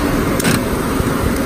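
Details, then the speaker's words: Car running just after a jump start from a Clore JNC770R Jump N Carry on a dead battery: a steady, loud whirring drone over the engine with no knocking; the AC compressor makes a racket, cause not determined. "That AC compressor made a heck of a racket, didn't it?"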